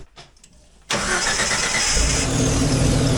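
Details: Overland vehicle just after starter fitted and battery reconnected: quiet, brief crank, engine catches at once and settles to steady idle; normal start, starting system now working.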